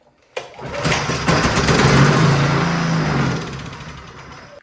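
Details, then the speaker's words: Champion 224cc generator, model 100892, that would not start, on starting fluid with choke off: catches, runs rough for about four seconds, then dies. Carburetor problem suspected; carburetor to be removed for cleaning. "when it starts and then dies like that there's definitely something carburetor related so we got to pull the carburetor out and give it a cleaning"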